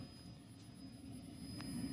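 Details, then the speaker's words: 1963 Montgomery Ward Airline Imperial console TV WG-5974A, Wells-Gardner line-operated chassis, no horizontal/vertical: thin steady high squeal over hum; horizontal oscillator far off frequency, not coming up to speed, horizontal output tube likely red-plating; hold adjustment shifts pitch slightly. "the oscillator doesn't come up to speed and the horizontal output is probably red plating yep there it is"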